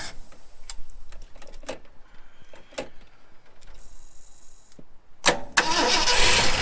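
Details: 1974 Ford F100 4x4 V8, long parked, started on starting fluid with choke open and unhooked: scattered clicks, then catches quickly into a strong, steady roar without sputtering; starts and runs well.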